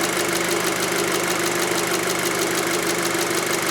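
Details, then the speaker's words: 2006 VW Passat 2.0T with P0190 and lack of power, traced to a broken fuel rail pressure sensor signal wire: a steady idle with light, regular injector ticking and hiss at a good 50 bar rail pressure. Normal, healthy idle. "and right on the money 50 bar that is a good number for this engine 50 bar at idle"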